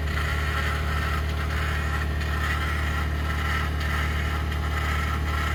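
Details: 2021 Ford F150 PowerBoost remote cold start at -16°C: steady low droning grind with faint repeating churn over cold idle, loud; only below about -11°C; grinding or cavitating, owner thinks something pumping, cause undetermined.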